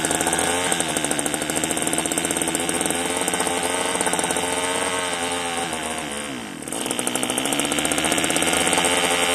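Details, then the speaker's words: One of two marketplace Homelite string trimmers (Homelite-branded or Craftsman-rebranded), bottle-fed 2-cycle fuel with compression and spark unknown beforehand: a rough, buzzy two-stroke with a fast, even beat that dips briefly and picks back up. Normal running. "She'll run. I mean, if I put fuel in the tank, she may take off and run for us."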